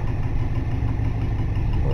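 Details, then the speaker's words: 1960 Dodge Dart, long unused and cold: low lumpy uneven idle close to dying, struggles to run on its own and soon dies out; cold rough idle, not warmed up. "she ain't been running a while and she's obviously cold as you can see so she don't really like to stay running"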